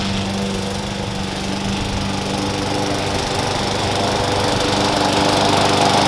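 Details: Push lawn mower revived after sitting several years, with new blade, blade support, air cleaner and cover; strong even drone holding steady while cutting grass, no surging or knocking: normal running under load.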